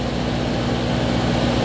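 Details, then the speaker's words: Jeep Wrangler TJ idling at 1700 RPM after TPS plugged in, base idle set at 1000 RPM, check engine light on: fast steady idle with even low drone; high idle from faulty throttle position sensor. "we're at 1700 RPM so obviously we got a bad TPS switch so I'm going to get one of those"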